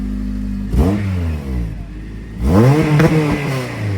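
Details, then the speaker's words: Honda Civic EJ coupe with K-series engine swap, drive-by-wire, just fitted exhaust back box, free-revving: two quick revs climb smoothly then cut and drop back around 4,000 rpm, limp mode suspected, unconfirmed. "Yeah, it comes up with 4,000 revs. How does it? Limp mode."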